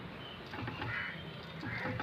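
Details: Hyundai Eon steering: a dry, groaning creak comes and goes twice as the steering wheel is turned.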